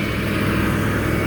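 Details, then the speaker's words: 1994 full-size Ford Bronco V8 idling on its stock factory exhaust, previously run on open manifolds: a steady, even low burble with no misses or ticks. A healthy V8 idle, now quieter, like a typical work truck. "See what it sounds like now with the boring factory exhaust. So, plans are to fix that, obviously. Let's see. That's really annoying. That's a source of many sounds I don't want to hear. Sounds like your typical boring work truck now."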